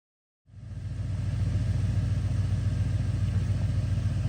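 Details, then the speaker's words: 1973 Chrysler New Yorker: starts and settles into a quiet, low, even idle at proper idle speed with a steady rhythm and no knocks or misses; healthy idle. "And here is the New Yorker at a proper idle. So you can hear it's very quiet."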